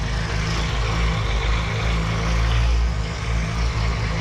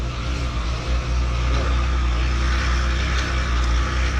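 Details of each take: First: 2016 Triumph Tiger 1200 Explorer with 5,000 km, idling after its clutch basket was machined and reinforced and its springs replaced. The idle is deep and even, with no rattle or clatter from the clutch side; the engine runs healthy. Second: 2016 Triumph Tiger 1200 Explorer, 5,000 km, at idle: constant gritty mechanical whir over the engine note, like a gear or blown bearing, in for clutch basket (campana) service. Alternator gear or bearing noise.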